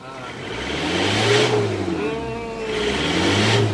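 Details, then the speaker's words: Isuzu Panther New Hi Grade diesel, timing recently adjusted and serviced: two quick, clean revs that rise and fall smoothly with no knock or rattle; crisp, responsive and healthy. "Kalau dari biasanya ini suaranya kelihatan renyah banget. Renyah banget. Suara mesinnya renyah. RPM-nya ini juga spontan."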